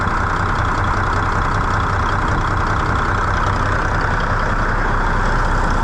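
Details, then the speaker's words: Old Cummins N14 diesel, just started after a new ECM install, no ECM codes, one pressure sensor still to be ordered: steady, even low idle with a firm rumble, no knocks or misses, runs good. "yeah that's good no-tech engine light can make these old n14s run good here"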